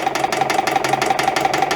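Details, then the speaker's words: EPKU-1.7 compressor block on its first test-stand run before repair, reported to throw oil: a hard, regular metallic knock of about six hits a second over a steady drone, pointing to wear. Connecting-rod bushings are suspected (loose piston pin); not yet confirmed. "Ай, звук такий не дуже хороший, аж зуби болять. Ну нічого, він нас можна тут трошки покрити. Ну це свідчить про те, що є виробітка."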